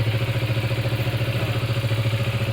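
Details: Benelli Motobi Pesaro 200 Evo motorcycle, started remotely via newly installed alarm with key off: steady, even idle thump with smooth regular pulse, no knocks or rattles; runs normally.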